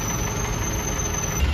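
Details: Isuzu 4BE1 diesel truck after overhaul and injector replacement, idle raised: steady, even low diesel rumble with no knocks or rattles; engine sound fixed, running normally and ready to drive.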